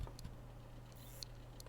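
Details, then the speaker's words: Hard drive on a Kingwin SATA/IDE USB adapter powered by its 1 A supply: faint irregular clicks over a low hum as the drive fails to spin up; owner suspects the power supply is too weak. "It's clicking right now, and the clicking it's not starting."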